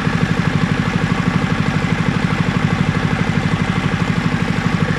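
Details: Toro lawn mower engine after repair and tuning, fitted with a new throttle cable: small single-cylinder engine holding an even, steady putter of about three beats a second, no hunting or misfire; normal healthy idle.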